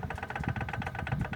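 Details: Peugeot 206 1.0 16-valve at idle: a fast, regular metallic tapping that seems to come from the top end. With the oil pan removed it was traced to worn rod bearings letting the connecting rods knock, not valves or pistons.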